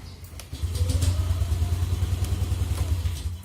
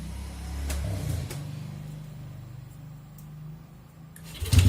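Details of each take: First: Yamaha Aerox with faulty Xride automatic idle speed control (ISC) valve, error 37 won't clear: engine rumbles into a rough, uneven idle for a few seconds then sags and dies; reluctant to start. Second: Yamaha Aerox after error 37 cleared and idle speed control (ISC) reset: quiet lead-in, then engine catches and settles into a steady, even idle with no hunting; running normally.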